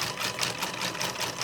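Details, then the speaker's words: Stepper motor added with a Raspberry Pi to spin a 3D-printed helical cage gear cup (PETG/polycarbonate) at full speed: fast buzzy high-pitched whirr with regular pulsing chatter through plastic gears; loud, owner hopes more microsteps will reduce noise. "I'm wondering if maybe if I increase the micro steps we can get that noise reduced, because that's kind of noisy and annoying the way it is."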